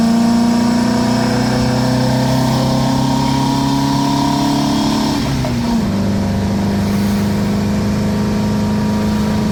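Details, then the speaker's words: 1977 VW Brasília 1600 after cylinder-head repair, Solex 32 carburetor with 28 mm venturi on old 34 mm base, stock cam, owner driving: clean pull with pitch climbing evenly then dropping off throttle, no rattles or misfires; normal acceleration. "cara como muda o motor cara fico imaginando quando colocar comando se aumentar mais ainda sabe cara esse motor fica muito bom cara muito sério"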